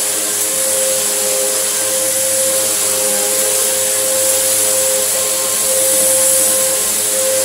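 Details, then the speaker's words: Samsung SU3364 upright vacuum, 1800 watt, part-exchange unit, first switched on: steady air rush with high whistling hiss over motor tone; sounds like a huge air leak somewhere, still has suction; cause not yet found. "sounds like there's a huge air leak coming from it somewhere"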